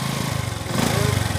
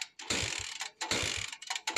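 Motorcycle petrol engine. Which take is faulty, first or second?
second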